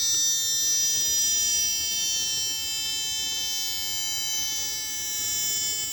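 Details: Chinese TV switch-mode power supply with B+ output only 7 V, after regulator transistor replacement: steady high-pitched siren-like squeal with even overtones; fault persists, optocoupler next.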